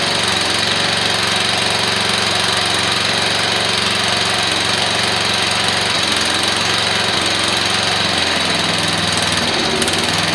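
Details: Briggs & Stratton single-cylinder engine on a temporary exhaust, newly mounted in a frame build, runs at a steady, rough beat with sharp exhaust crackle; loud but healthy.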